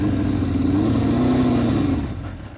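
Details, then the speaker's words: 1978 Honda CB550K on its first ride in months after a carburetor swap: engine pulls unevenly under throttle, the note wavering and sagging as it falters like running out of gas; rider suspects debris in the fuel, a fuel issue. "I'm not running really good that's definitely a fuel issue oh let's see yeah it sounds like I got trash in"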